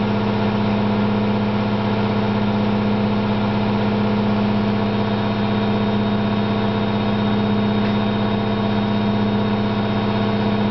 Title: Candy GO4 127 DF spinning with bad bearings